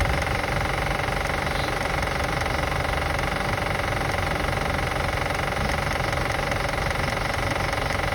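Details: 2005 Acura TL after starting and running: fast, fairly even ticking, about four clicks a second, over the engine; source not pinned down.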